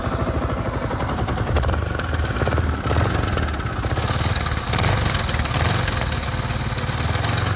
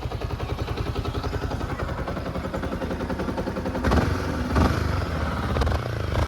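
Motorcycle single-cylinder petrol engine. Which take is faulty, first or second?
first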